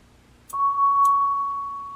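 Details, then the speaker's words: Vintage c1965 Standel Studio XV guitar amp reverb, fed a 1 kHz test tone of about 65 mV peak-to-peak: the tone cuts off and rings on with a long, smooth decay, so the tank and receiving end are fine and the fault lies on the sending side. "has a nice long decay so there's nothing wrong from here actually from nothing wrong with the tank all the way to the receiving end"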